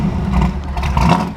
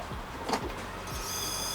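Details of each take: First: An engine revving with a deep, even note that rises and falls smoothly, with no knocks, ticks or misses; a healthy rev, shown in contrast to a Foxbody Mustang with a suspected ignition fault. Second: Starter cranks steadily at about three and a half beats a second without catching; it has ignition and starts on starting fluid, but the injectors aren't firing; owner plans to check the wiring harness.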